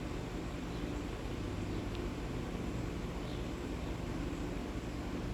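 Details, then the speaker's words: Vintage Westinghouse 20-inch reversible box fan in a long spin-down until it finally stops: a smooth, even, slowly fading hum with no scraping or ticking, showing good bearings. "So yeah, this is quite the spin down. Okay, there we go. Finally it stopped."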